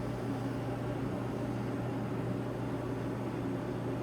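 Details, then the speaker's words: Samsung DV50K8600EV dryer, under two years old, after replacing a broken, melted idler arm pulley (bushing failure) with a new roller-bearing DC93-00634A idler arm and a new belt: low, even hum, smooth drum roll, no squeal or thump; running quietly and normally. "it comes on we should see their butt it's running and it's running quiet right"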